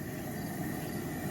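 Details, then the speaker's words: Older gas pressure camp stove on a Stansport propane converter, burner lit: steady low gas roar with even hiss, heard being regulated down, no sputter or surge; normal burner roar. "You know, it's it's very unfortunate that it's so bright, but you can hear like I'm going to turn this down. You can hear the sound of the gas literally being regulated down"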